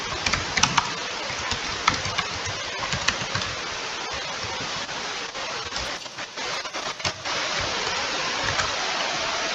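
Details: Laptop cooling fan running hard and loud: steady airy whoosh with a few light clicks and no rhythm.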